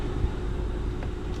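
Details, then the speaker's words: Kia Optima/Hyundai Sonata after blower resistor replacement, engine running or ignition on, tested at speeds 1, 2, 3 and 5: steady even rush of air, low whoosh, no squeal or rattle; heater blower working normally. "We try lever 1, you can hear the breeze. Lever 2, you can hear the breeze."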